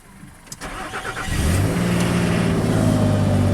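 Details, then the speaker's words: 2006 Nissan Pathfinder with hard-start and overheat complaints, cold start below freezing with coolant temperature sensor reading 32°F: short crank, catches at once and settles to even idle. Normal start, sensor seemingly reading correctly; coolant hose still broken. "Fired right up. Okay. Now remember, we still have that hose broken, so I don't want to run it for too long here, but right now the sensor seems to be working okay."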